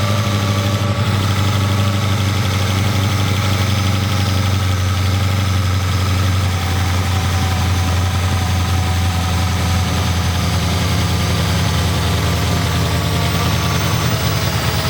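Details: 1200hp supercharged Hemi in Sgt Smash project car, first start after diff brace, driveshaft, Kooks stainless exhaust and Holley fuel system install: loud deep even idle, steady lumpy throb, no knocks or misses.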